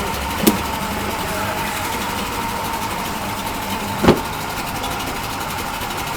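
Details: Yamaha 40 hp two-stroke outboard in a test tank, after a carburetor cleaning, with a cracked, dented prop that was straightened. Steady buzzing run with two brief shift clunks; fairly smooth in gear, including reverse. Normal running.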